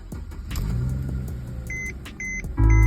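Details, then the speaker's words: 2010 Mercedes-Benz C300 W207 after fitting an emulator bypassing the broken electronic steering lock: dash chimes and clicks, then the engine catches cleanly and settles to a steady rumble; normal start with no errors. "basically there's no errors no nothing all works exactly as um planned"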